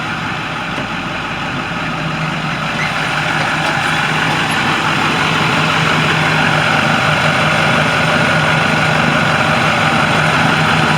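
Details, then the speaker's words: 2013 International shuttle bus with brand-new replacement diesel engine, hood open, smooth even idle with steady low rumble about three pulses a second, no knocks; healthy engine. "here's the engine on this guy. I want you to listen to this engine. For all of y'all that maybe don't know about these Macs, this is a brand new engine."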